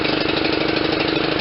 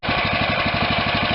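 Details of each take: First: Kohler CV460S single-cylinder 460 cc engine on John Deere LT160, after carb replacement: fast uneven thudding with a loping beat that stumbles and dies down; still over-fueling because the choke was stuck closed. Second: Kohler CV460S 460cc single-cylinder engine on a John Deere LT160 lawn tractor, after fitting an aftermarket carburetor and freeing a stuck choke: even single-cylinder thumping, about eleven beats a second, no misses or stumbling; normal idle.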